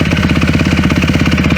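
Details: Motorcycle after a carb repair, jetted too rich with the fuel screw a quarter turn out: a quick, lumpy idle that lopes and stumbles, rough on the bottom end. It clears at higher throttle; the owner suspects the pilot jet is too large.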